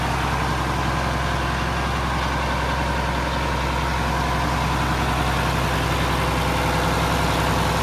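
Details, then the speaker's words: Mack Superliner diesel truck, first start after engine repair, back together: steady, even diesel clatter at idle with a deep constant rumble, no knocks or misses. It sounds healthy. It used to blow white smoke (fuel pump suspected) and blew black smoke here. "All right, guys, back together, running, sounds pretty good."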